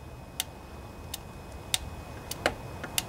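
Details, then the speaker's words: Junkyard Husqvarna riding mower, Briggs & Stratton Intek OHV twin 20-22 hp (model 40777), new carburetor, fuel pump bypassed with gravity feed: key on gives sharp single ticks, fuel shutoff solenoid clicking open normally. "you hear that click that's the fuel solenoid activating so I think we're good there"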